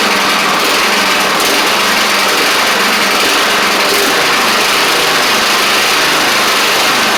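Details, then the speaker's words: Craftsman DYT4000 riding mower after sitting about 2.5 years, started with only fresh gas and a little choke (choke was stuck): buzzy steady small-engine drone at even speed without stumbles or surging; sounds good. Normal running. "very very surprised that the thing kicked over like it did by just putting gas in it but we'll take it um sounds good as well"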